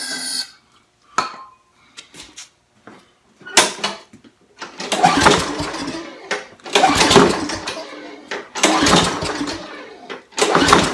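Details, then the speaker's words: Trash-picked Sears Craftsman lawn mower with a Briggs and Stratton engine, spare part fitted: repeated recoil pulls give brief sputters and catches, then it spits debris but never keeps running; cranks but won't start, suspected fuel delivery issue rather than electrical. "oh it tried the start look at all that garbage coming out of there oh my goodness well I tried to start so it's not an electrical issue so it must be a fuel delivery issue"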